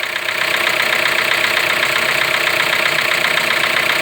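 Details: Fiat/Jeep T270 1.3 turbo petrol engine (Toro, Renegade, Compass, Commander), after start with light throttle blips: light even tapping about four times a second. Characteristic of this engine, normal.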